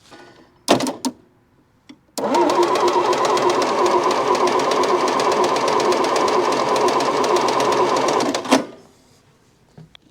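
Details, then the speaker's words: Massey Ferguson MF711 hydrostatic skid loader, believed sat 20–25 years: steady fast cranking about three strokes a second with no firing while checking fuel pump output; no fuel reaching pump, owner suspects shot fuel pump or bent fuel line. "I think our fuel pump's shot either that or it's just not getting fuel to it"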